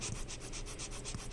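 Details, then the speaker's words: Apple HomePod during repair, subwoofer bent too far while being refitted: fast fluttering, rubbing rasp pulsing about five times a second over a low hum, as the bent woofer can't sit flat or seal and air leaks. "that's what a bent up subwoofer that doesn't seal quite right sounds like. No matter how much I push down on it, it's not going to seal because that bend isn't letting it sit flat."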